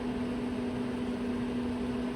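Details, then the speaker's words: Pop-up A-frame trailer RV furnace blower still running with the furnace turned off, during propane regulator troubleshooting (bad regulator, furnace would not ignite); steady even low hum, no rattles or surging; normal blower operation. "It's turned off right now, but the fan's still going."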